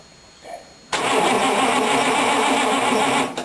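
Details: Rat rod engine catches promptly and runs with an even, steady note for a couple of seconds, no stumble or fuel starvation, after a clogged fuel filter was replaced with a temporary plastic filter; normal start.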